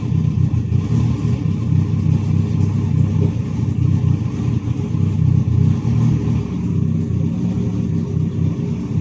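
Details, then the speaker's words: Ethanol-fuelled turbo car (Pulsar turbo, 2200cc injectors, K-series coil packs), first start after a cracked piston pin, ice cold so not revved; steady even low idle with no knocks, ticks or misses, full compression, oil pressure 5; healthy. "Sounds like it got full compression. So it's alright. Oil pressure went straight to 5. So it's ice cold, so I won't be able to rev it up."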